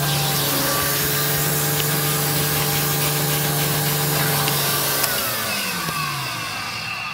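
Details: Electrolux 612E (600 series) upright vacuum, owned about two years, on deep hallway carpet with a newly fitted Qualtex replacement brushroll: steady motor hum, even brush swish, then a smooth wind-down; normal brushroll operation.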